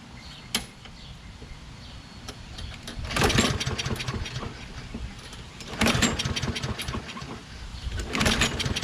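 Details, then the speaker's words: Toro Recycler XT675 with a Kohler engine and ultrasonically cleaned carb, flap forced closed: three pull-cord cranking bursts that never catch. It only starts when cold with the flap closed. "well i guess it doesn't want to start even with the flop closed insanity insanity i don't understand"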